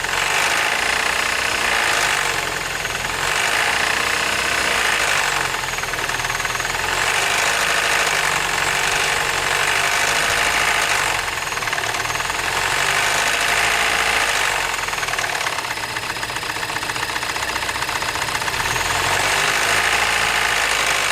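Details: 2007 Mini Cooper petrol engine with 11,000 miles, at idle: quick, somewhat uneven knock, about four a second, over a busy clatter.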